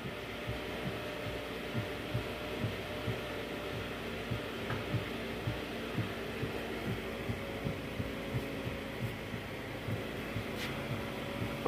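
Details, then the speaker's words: Steady idle hum with only soft, faint clicks about twice a second on a Toyota Alphard after replacing the broken steering damper. The sharp upper-column tek-tek knock is gone, but a slight click remains, attributed to the steering rack or steering joint. "jadi sekarang bunyi tek-tek nya udah hilang ya guys udah nggak bunyi tapi memang masih ada bunyi klik ya itu dari steering pack atau join stir"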